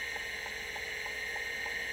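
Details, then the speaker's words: Vintage Seagate 5.25" hard drive during a low-level format, after the drive select jumper was fixed: crisp, even clock-like ticks about three per second over a clean spin hum. Head movement and bearing sound healthy with no lubrication. "uh yeah we are low level formatting and listen to this thing it is just like a clock"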